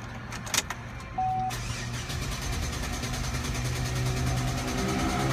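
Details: Chevrolet SSR: starter churns at an even three to four turns a second, but the engine never catches; cranks with no start, cause not confirmed.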